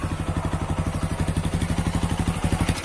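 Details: TVS Apache 160 4V Special Edition motorcycle: heavy, even clunks about four per second over a low engine thrum, a pronounced bottom-end knock. The owner suspects the connecting rod or crankshaft; not confirmed.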